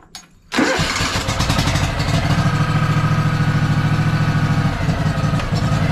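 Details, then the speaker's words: Craftsman DLT3000 lawn tractor, Honda 16.5 twin, dirty air filter, started with fuel added and a piggybacked solenoid: catches and settles into a steady, even putter with no stumbling, runs on its own; normal idle. "running on its own sounds good wow I can't believe that worked"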